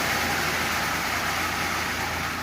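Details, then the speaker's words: Marx 898 toy locomotive, circa 1948-52, long stored, cleaned, lubed and tuned: harsh even gear rasp and hiss under the motor whir; worn intermediate gear, far from perfect but running. "like I said I'll be running this the rest of the day and it's noisy and it's far from perfect but it's running and it was real real cheap"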